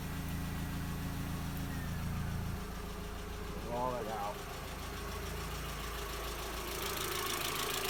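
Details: MK4 Jetta 1.8T idling after head gasket repair with replacement head, new timing belt, water pump and thermostat; steady even idle, low smooth hum, no knocks, misses or ticking; smoke, suspected valve cover leak from omitted camshaft covers.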